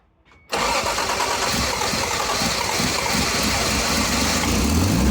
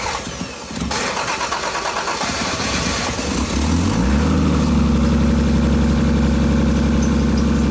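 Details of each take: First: Car after a cracked exhaust pipe was repaired with a JB Weld wrap kit: quick start into a steady even idle with a smooth exhaust note, no puffing or ticking; the exhaust sounds healthy. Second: Car with a cracked exhaust pipe, started after sitting a day, before a JB Weld wrap repair: cranks, catches and settles into a steady idle with a deep raspy growl from the crack, no smoke plume seen.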